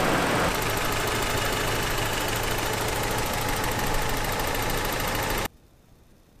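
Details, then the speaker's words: Petrol truck engine after an hour of running with Seafoam in the oil, previously idling very roughly: steady idle around four beats a second with an occasional slight stumble; the idle still stutters. "so here's what the engine sounds like after an hour of running with the seafoam inside of it"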